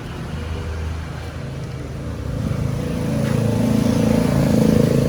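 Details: Motorcycle electric starter tested by jumpering the battery cable directly to the starter motor. A steady whirring crank builds louder over a few seconds with no clicking or stalling, so the starter motor spins freely and works.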